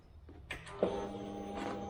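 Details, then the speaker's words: 2008 Kawasaki Vulcan 900 Classic LT, first start attempt in 8 years with new battery: click then faint steady hum for a few seconds, fuel pump priming normally at key-on in neutral. "you hear the fuel pump kick on so it's it's priming up"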